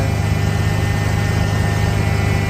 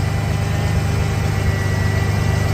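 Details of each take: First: Ford Bronco restoration after setting the timing and replacing the fuel pressure regulator; steady, even engine note holding a little fast and never settling lower; high idle. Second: Ford Bronco under restoration: a deep, steady idle, slightly high, with no skips. The misfire seems gone; a throttle body or intake gasket vacuum leak is still possible.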